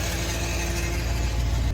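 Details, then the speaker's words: 2010 Subaru Forester XT turbo EJ255, about 125k miles, at startup: deep, lumpy idle with uneven low thumps and staggered rhythm; has oil pressure but definite misfire, turbo smoking; cause not confirmed. "has oil pressure definitely has a misfire"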